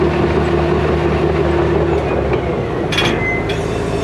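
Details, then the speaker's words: Tracked machine pushing dirt and rock: a heavy diesel rumble with a steady high squeal and clanking track noise, judged worse than the 850B; squeaky undercarriage, cause unconfirmed. "Listen to this thing squeak. It's bad. I think it's worse than the 850B."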